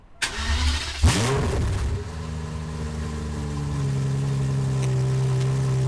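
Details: Aston Martin DB7 V12 replacement engine, first start after reinstall (throttle plates had been partly open): brief crank, sharp catch, then smooth steady idle with no miss or tapping; runs perfectly, oil pressure normal, no leaks.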